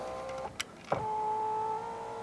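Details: 2014 Fiat 500L salvage car, working-side power window: a click, then a smooth even motor whine holding steady about a second; normal operation, while the driver's door window fault is suspected to be its wiring loom.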